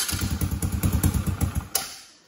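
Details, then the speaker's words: Tao Tao 125cc kids ATV no start (button did nothing): with starter relay bypassed by crossing posts with screwdriver, quick rhythmic cranking about six per second catches briefly then dies; starter relay faulty. Bad starter relay. "So that's how you know that your solenoid is bad or your switch is bad. Again, that could be the switch too. In this case, it was the starter relay here."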